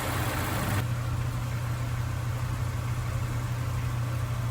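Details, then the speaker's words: Honda S2000 that sat 4 years, after fluid change and injector cleaning, idling as fresh coolant is bled with bleeder bucket on: even, low idle hum with steady beat, no misses, ticks or knocks; normal smooth idle. "So you hear how smooth the motor is. We're still bleeding it."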